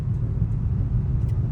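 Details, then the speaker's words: Car driven over a rough barangay road after replacing front stabilizer links to cure clunking: steady low road rumble with no front-end clunks, front suspension now quiet, though a slight knock remains at the rear. "Wala na sa harap guys ha. Wala na dito sa harap wala na oh."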